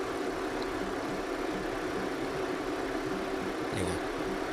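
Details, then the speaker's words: 2008 Honda Civic FD 1.8 after replacing the passenger-side (left) radiator fan motor. Engine running with AC on so both fans work. Steady, even fan rush with a faint engine hum and no rattle or grinding, where it was loud before. Fans operate normally. "นี่ครับก็ทำงานปกตินะครับเสียงเงียบนะครับพัดลมแรงนะครับใช้ได้นะครับเสียงไม่มีนะครับ"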